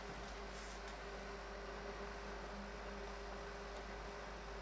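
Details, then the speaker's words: HVAC training board gas furnace blower in heating mode, 24 V control confirmed: steady, even whir with low constant hum, no rattles or surges; blower fan running normally. "because we see the fan running but let's just take our measurements just in case we're getting an odd voltage"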